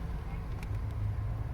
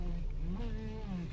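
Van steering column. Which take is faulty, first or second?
second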